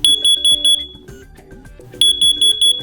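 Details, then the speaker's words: First Alert CO605 plug-in carbon monoxide alarm with 9-volt battery backup: loud 85-decibel T3-pattern shrill beeps repeating as the alarm warns. "when an alarm is triggered you'll hear a loud 85 decibel t3 pattern chirp to alert you"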